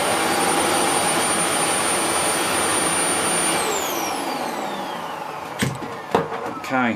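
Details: Dyson DC04 vacuum test run after motor replacement. A steady high motor whine with an even airflow rush, no rattle or grinding, then a smooth spin-down at switch-off. The motor runs normally.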